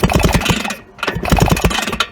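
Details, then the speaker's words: Long-stored Vyatka Elektron scooter, wiring reconnected with 6 V converter, being pushed to start: uneven chuffs as engine turns over but never catches; no fuel supply arranged yet. "Единственное, рано пробовать. Надо топливо придумать, как подавать."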